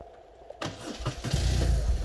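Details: BMW R1200RT after its seizing starter motor was stripped, cleaned and refitted: a brisk crank that catches quickly and settles into a steady idle. The starter and engine start sound healthy.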